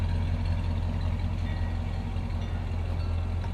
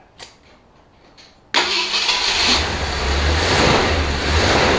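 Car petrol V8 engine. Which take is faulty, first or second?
second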